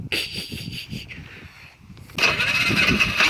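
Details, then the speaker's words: Polaris Sportsman 500 ATV, about 12,000 km, hard starting since being rolled, choke on, after a backfire: uneven cranking then a louder burst of firing that almost catches before fading; engine nearly starts but won't run. "Oh, she almost went."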